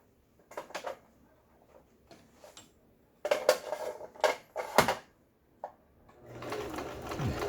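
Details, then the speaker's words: Juki HZL-12Z small sewing machine, bought used and not stitching at all, test-sewing a straight stitch and reverse after full repair including the automatic threader: short bursts of quick, even needle ticking with pauses and no knocking or grinding. Normal straight stitching. "직선 바느질. 자, 후진이 돼야 되겠죠. 후진."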